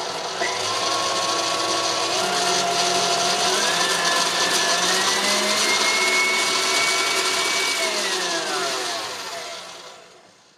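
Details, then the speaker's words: Well-used KitchenAid stand mixer that struggles with dough, heard before replacing its old, smelly gearbox grease: gritty whining gear noise climbs in pitch as it speeds up, then fades as it winds down; cause unconfirmed, some noise may be normal. "My KitchenAid mixer is starting to struggle with dough and is starting to make some pretty horrible noises when I'm running it."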